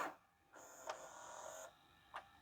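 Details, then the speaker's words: LG/NEC VCR after mode switch cleaning and new belt: crisp click, short even motor whir for rewind, another click and clean stop; rewind slower than fast forward but transport switching modes properly. "And go to rewind. Oh, that's not as fast as fast forward, but it sounded good."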